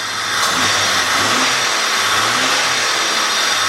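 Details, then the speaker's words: 2002 Jeep Grand Cherokee Laredo 4.0 after spark plug replacement for P0302 cylinder 2 misfire, air cleaner removed: steady, even idle under a loud hiss of air sucked into the open intake, misfire gone. "With all the pistons doing that in sequence, that's why you get that constant sucking of air coming in there."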